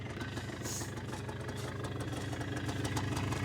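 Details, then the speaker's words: 2001 Polaris Xplorer 250 4x4 quad just started with starting fluid, airbox refitted: even, steady putter at idle with regular beat, no misses or rattles; normal idle. "thing's even idling how I don't know huh"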